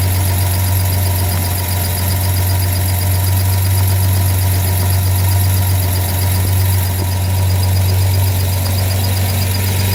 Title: Ford 300 chirp sound. Came back.